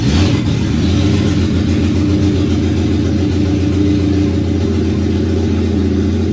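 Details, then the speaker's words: 1987 BMW E30 325iS with M20B27 eta bottom end, first start after a new intake boot kit, AFM boot not yet clamped: lumpy, slightly uneven low drone; vacuum leaks remain. "well it runs that's good still definitely have some leaks obviously there's no clamps on the afm boot or anything like that so still have work to do"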